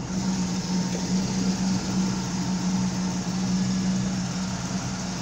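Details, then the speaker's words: 1972 Pontiac Firebird Trans Am V8 after cooling air pocket cleared: deep, even burble with steady drone, no misses or knocks; owner thinks idle is a little low and might raise it. Normal idle. "I kind of like that I might bring it up a [Music] little"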